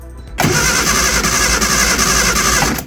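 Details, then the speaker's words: Early-2000s Reliant Supervan, battery reconnected, choke in use, fuel leak fixed: strong even starter cranking about two seconds with no firing; cranks but won't start, spark suspected lacking. "but also we've not got to start either interesting did fart before didn't it"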